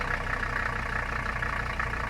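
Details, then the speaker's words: Mercedes 300CD diesel idling cold, block likely sub-freezing: steady knocking clatter with uneven beat, idle hunting up to about 1000 rpm then down to 600; owner guesses cold, possibly fuel delivery issue, unconfirmed. "that's what it's been doing whenever it's cold um it's kind of lopey it like builds up to like a thousand rpm and then it drops off to like 600."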